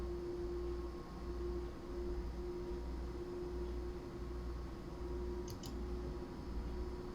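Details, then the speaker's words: Power Mac G5 Quad opening YouTube in WebKit. Loud, steady fan rush with a constant mid-pitch hum as the cooling fans ramp up like a jet engine under load; normal behaviour. "And how well you can hear as you open up YouTube, the jet engine that's the cooler for this machine starts to ramp up."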